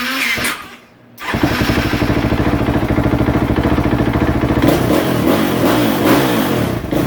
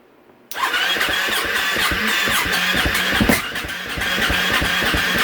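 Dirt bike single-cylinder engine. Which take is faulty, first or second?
second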